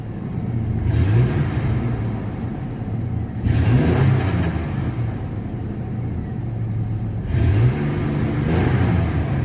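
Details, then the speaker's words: Chevy 4.3L Vortec in S10 truck, new distributor, erratic miss worsening over six months: revving up surges unevenly, stuttering and hesitating; timing set fully retarded, advancing it a little made it run clean. "Runs pretty good there. Oh, there there there it is. Yeah. See there? It's stumbling. And that's how it would do. Very erratic."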